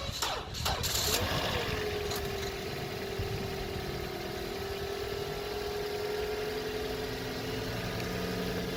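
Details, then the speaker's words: 2014 Toyota Corolla with the battery reading 10.8 V instead of 12.5 V: about a second of uneven, labored, hesitant cranking before it fires, then a steady idle with a faint whine. The weak battery is dragging the starter; the alternator is being checked next. "So as you guys could hear, there was a slight, more than a slight hesitation when it was first turning on."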